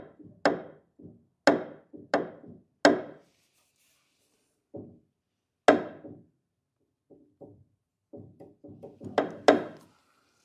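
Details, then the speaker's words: Kawai GX-3 grand piano after tuning, sustain pedal clicking: dull wooden clicks and knocks in uneven bursts as the pedal is released quickly; something loose, too much air in the pedal linkage. "now I have to find out where the click is coming from, this here. So something is loose here."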